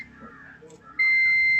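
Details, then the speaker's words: Mahindra Jeeto Plus BS6 with urea/DEF system problem after visits to two garages, display showing 50 km; steady high-pitched warning beep in quiet cabin as "start denied, malfunction" appears and the engine will not start. "Start denied this mall function. अभी गाड़ी start भी नहीं होगा।"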